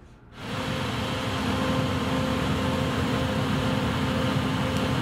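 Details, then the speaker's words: Tesla parked, heard from outside: steady whooshing fan-and-pump hum with a faint constant tone as the climate system cools the battery after remote A/C or climate control is turned on; normal, stops after a while. "이제 부터 이 소리 를 자주 듣게 될 겁 니다 . 이 소리 는 냉난방 시스템 이 열심히 작동 하는 소리 입니다 ."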